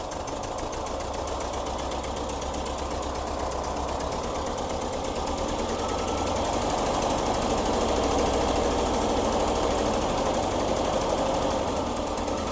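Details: 1973 VW Squareback Type 3 engine, first start after new points, plugs and wires, timing set, valves adjusted, new fuel injectors, starter, fuel lines and vacuum hoses, and an oil change; busy, even clatter at about three beats a second, steady and building slightly; runs smoothly without misfire.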